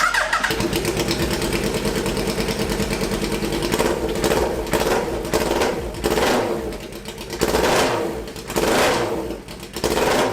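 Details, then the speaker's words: Hayabusa-swapped 1970s electric CitiCar with ignition coils swapped backwards, fuel pressure 43 psi: catches and stumbles with an irregular lumpy beat never settling to even idle; running on two cylinders from swapped ignition coils. "I realized there's two cylinders that aren't even running and then it dawned on me that I had swapped the coils backwards so so there were two cylinders that weren't even running"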